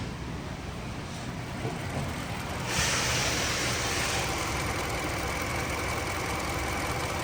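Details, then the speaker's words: 2016 Hyundai Elantra 1.8 automatic, mileage stated as 46,874 or 406,874, engine possibly replaced, transmission bad: steady even idle hum, no knocks or misses, light rise in level; engine runs good. "Good. Motor runs good."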